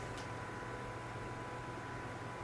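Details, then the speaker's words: PC case fans wired through a Phobya splitter, power/PWM connections suspected wrong; steady loud airflow roar with constant low hum, fans stuck at 100% speed with no slowdown. "splitter was supposed to go but it's make the fans are running 100% I'll just show you this now you'll hear it"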